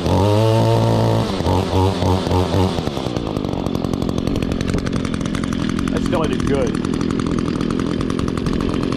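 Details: 2016 Echo GT-225 curved-shaft trimmer with a 21.2 cc two-stroke catches after choke and primer and settles into an even, buzzy run with steady pitch and no misses. Normal running.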